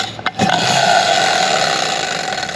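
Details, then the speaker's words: Torque converter from the "55" drag car's transmission, hand-spun during teardown for season prep after earlier fresh clutches: freewheels one direction with an even, smooth whirr and faint light ticking, no grinding or catching. One-way clutch is normal. "Everything sounds really good. It'll just freewheel this direction. It's not a fixed deal."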